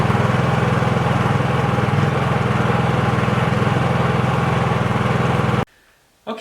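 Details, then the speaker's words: Honda 3000 generator that previously wouldn't run, started on choke, runs with a steady, even low chug with no misses or surges. It ran about four hours under a 1500 W heater load and ran fantastically; normal running under load. "so we ran the generator for about four hours and we put the 1500 watt heater on there the whole time it was under load and it ran fantastic so that's really good news"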